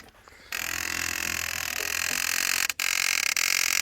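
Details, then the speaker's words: 1989 Honda CBR600 restoration with cleaned carbs, ignition on: sudden steady high-pitched whirring hum for a few seconds, fuel pump priming normally before starting. "So it's on. Fuel pump's not primed yet. Well, now it's priming."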